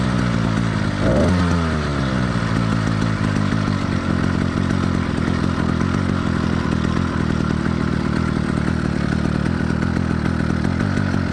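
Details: Two-stroke motorized bicycle engine in warm-up phase after a cold start: uneven, lumpy putter skipping beats instead of a crisp ring-ding; rich four-stroking, normal and expected for the first five to ten minutes.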